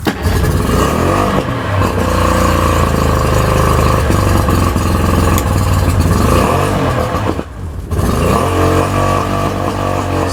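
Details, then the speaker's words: Tohatsu outboard with rebuilt carbs and fuel pump, run on water hookup while choked: loud, uneven stumbling run with irregular beats, not firing on all cylinders. "I'm choking it right now because they won't run well I kind of run on its own but it's not running on all the cylinders right"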